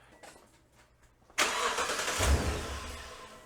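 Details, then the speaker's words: 2015 Toyota Tundra start right after fan clutch replacement; quick crank catches into strong even run with loud fan air rush because the clutch is tight, no belt squeal: normal start. "Oh, hey, no squeal. Okay, so right now we got a lot of air flowing because the clutch is pretty tight."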